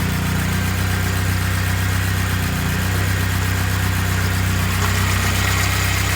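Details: Turbo K24-swapped BMW E36 after head gasket repair, idling while coolant is added and heater core fills, heat on full: steady even idle, smooth low hum, no misses, knocks or squeals; no leaks found, engine healthy.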